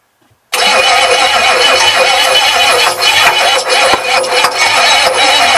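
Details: Ford 6.9 IDI diesel on a bench test after a mild overhaul, new glow plugs and relay fitted; starter drones but engine turns over far too slowly to fire; starter suspected failing, poor timing also suspected.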